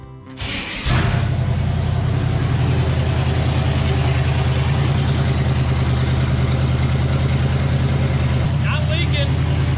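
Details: 1978 Chevy C30 crew cab dually, 454 V8, first start in three years after sitting, brief run to check for leaks: deep, steady idle with an even low rumble, no knocks or misses; no leaks found, sounds healthy.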